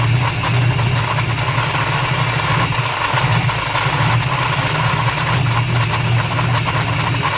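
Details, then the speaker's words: 1994 Chevrolet Silverado Z71 with 350 crate V8 and 4L80E transmission, timing advanced slightly: rough V8 idle with harsh clattering rattle over the low rumble from flywheel; no smoke, motor believed good, timing kicking back. "yeah I believe this motors good I don't see no smoking nothing all that noise is just from the flywheel"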